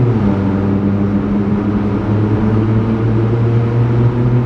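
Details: Stage 2 tuned VW Polo GT TSI 1.0L turbo petrol cruising through a tunnel, window cracked: deep steady loud droning exhaust, no misfire or rattle; healthy but very loud aftermarket exhaust.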